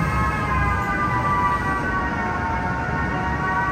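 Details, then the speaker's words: Cataract surgery irrigation and aspiration handpiece removing the lens's soft outer shell: steady even high tone over a soft low hum, signalling infusion and aspiration through the instrument; pitch rises with more vacuum at the tip; normal irrigation and aspiration tone. "so this sound indicates that there is infusion and aspiration through this instrument"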